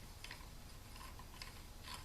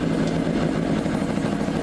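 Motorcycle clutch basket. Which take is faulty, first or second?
first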